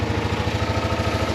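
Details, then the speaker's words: 1999 Polaris Sportsman 500 ATV after carburetor jets cleaned: steady, even single-cylinder thump at idle with no misses or knocks, no smoke; idling smoothly. "good news clean the carb she fired right up it is leaking gas a little bit so I uh it's like a line ass to replace but it looks good sounds good I don't think it's smoking at all"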